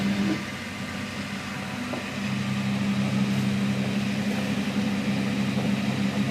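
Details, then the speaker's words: Late-model wheel, switched on at full speed: a steady low hum settling to an even, constant pitch with no grinding or knocking. Normal running, as it should sound. "so that's what it should sound [Music] like"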